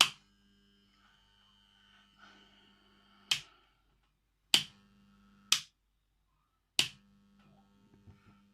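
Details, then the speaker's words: Vintage wooden Metamec electric clock, movement almost fully disassembled, old mains coil powered with the old clock's wire: faint steady low buzz with handling clicks; the coil is in bad shape but buzzes, and the gearing is gummed up. "I've discovered it's just buzzing, but the thing is almost thoroughly disassembled."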